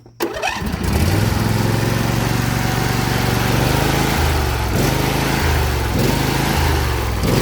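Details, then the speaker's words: Briggs & Stratton Intek V22 V-twin in a John Deere L118, just rebuilt for blow-by, first start-up seating the rings: fires right up and settles into a smooth, even beat with small throttle shifts, no knock or miss; only the tiniest blow-by; normal running. "What I'm doing here is seating the rings. And again, after this mow, should get a fresh. And yeah, there was just a tiniest bit of blow-by, so that's fine."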